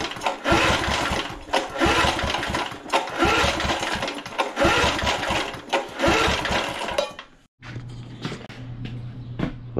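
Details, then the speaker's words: Vintage lawn mower, oil full and clear, throttle at start: several hard cord pulls with no pop or sputter at all; no-start. "so we got nothing not a pop spit sputter nothing"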